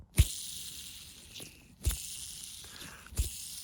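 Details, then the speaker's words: Old used Foredom bearing spun by hand before servicing: each flick gives a fast gritty hiss that rattles on as it coasts, from a dry worn bearing; a relubricated bearing runs quiet. "that isn't a good bearing i know you might think so because it's moving really fast but it's not quiet"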